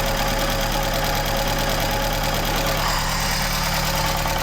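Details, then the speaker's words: MK1 Ford Escort van petrol engine idling: fast, light metallic rattle under the engine note; owner suspects the clutch but says it might not be, rattle started after fitting a new engine mount; idle rattle. "You can't see it, but that clutch fault down here is rattling."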